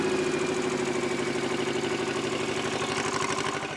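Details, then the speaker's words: Old Shibaura diesel tractor that sat for years, just after first firing up and smoking: chugging beat at about three pulses a second, slightly uneven, then fading as it dies; running rough, and a remaining fuel issue is suspected. "Oh no, what's going on? No! She died. What happened? Well, it ran, and then it stopped. All right. I think we still have a fuel issue here."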